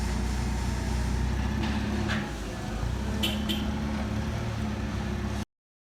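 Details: 2015 Chevrolet Silverado with IHC 4/6 drop kit, after regreasing, realignment and rear shock replacement: steady low road rumble while moving, no clunks or knocks; front suspension now quiet.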